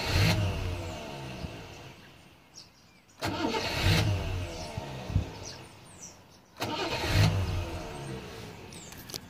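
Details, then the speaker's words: Rover P6 with an intermittent delayed starter; the owner suspects shoddy wiring into the starter. Three bursts of cranking, each catching quickly into a rough idle after a brief hesitation: delayed starter engagement, cause not confirmed. "Sometimes there's a slight delay on it. I think it's the word."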